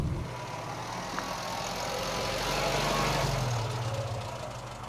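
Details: Austin A40 Farina hot idle after a drive that developed a misfire: lumpy, stumbling beat of three or four pulses a second over background hiss; oil pressure dropped and ignition light flickering; ignition problem suspected, not confirmed.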